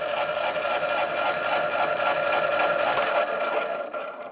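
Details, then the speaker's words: 1970s Kennedy Model 60 power hacksaw finishing a cut through brass; rhythmic strokes about 220 per minute, then motor winds down as arm drops and steel bar knocks switch off, normal auto cutoff. "I'm gonna pull back out so you can see the auto cutoff here work when it's finished the cut"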